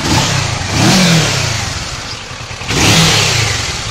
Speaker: el motor no se ve que tenga ningún golpe ningún roce en el motor en el motor suena bien en el instante una moto muy moderna